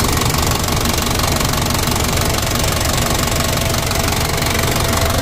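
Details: Toyota Dyna diesel at idle after injection pump rear-section repair and plunger replacement, pump being warmed up and adjusted: steady, even clatter with a regular low beat and no misses; running smoothly, much improved over before.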